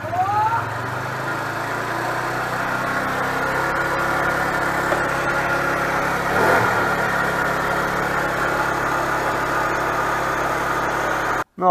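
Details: Nearly new GY6 4-stroke scooter with about 900 km catches and settles into a steady, even idle with no tapping or misses after valve clearance adjustment fixed a no-start with low compression; normal idle.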